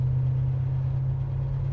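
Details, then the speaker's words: 1972 Chevelle, numbers-matching 350 V8 with 4-barrel carb, dual exhaust and 350 Turbo automatic, heard from inside while driving on a very windy day: low, smooth, steady rumble with no knocks or ticks; runs nice and quiet, healthy. "Just runs nice and quiet, huh?"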